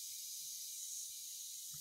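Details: Water pump station pressure tank, possibly rusted through: steady high airy hiss with faint low thumps as air escapes; leak source suspected, not confirmed.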